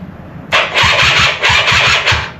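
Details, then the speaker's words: Polaris quad, possibly a 250, battery freshly recharged and horn works: starter churns in short bursts with rhythmic chug but engine never catches, crank no-start; owner plans to remove airbox rather than rebuild carb. "The fact that the horn works tells ME THE BATTERY HAS POWER."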